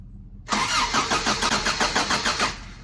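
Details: Vintage Toyota 4x4 truck started for the first time in a year with a charged battery: the starter cranks evenly for about two seconds, then the engine fires promptly. A healthy start.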